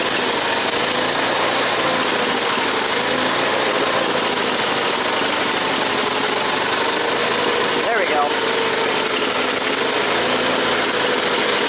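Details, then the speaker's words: Onan small engine with new clear fuel filter idles steadily under airy noise, no clear stumble; best in a while, but still finicky and won't idle until up to temperature. "I spoke too soon. But like I said, this one here, she's picky. She won't idle until she's like up to a certain temperature, so."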